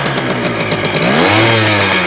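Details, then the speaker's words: 1975 Kawasaki KE125 two-stroke, previously seized, carburetor rebuilt, after refueling: crisp ringing buzz climbing cleanly with throttle and holding steady, fires right up, no misfire; normal running. "Oh man, it wants to fire right up. Whoa."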